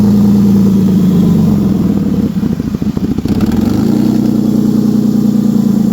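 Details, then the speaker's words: 1967 Mustang body swap with a Ford 3.0, warm on ramps, not overheating, breathers instead of a factory intake: steady idle stumbles into sputtering, then it dies. It floods with fuel when warm and smells of gas. Owner suspects a fuel injector; cause unconfirmed. "It died. It flooded out. Oh, gonna have to figure out that issue."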